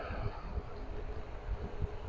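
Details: Wall fan after its bearings were replaced, running at good speed: soft, steady airy rumble with no grinding or rattle, the persistent noise gone.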